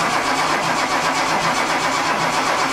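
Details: Datsun 280Z: steady starter cranking with no catch before stopping; crank no-start with no fuel delivery, pump not getting power; a loose distributor connection was also found.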